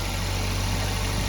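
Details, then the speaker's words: Baleno cold start in December winter, no throttle applied: steady even hum at high cold idle RPM that gradually drops by itself; no grinding, normal warm-up idle. "तो भाई देखो RPM कितने ज्यादा RPM हो रहे हैं। अभी देखो अब धीरे-धीरे अपने आप कम हो जाएंगे।"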